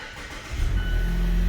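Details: 2015 Mazda CX-5 Skyactiv engine started after serpentine belt and tensioner replacement: short crank, catches and settles into a steady low idle, no belt squeal or chirp; sounds healthy.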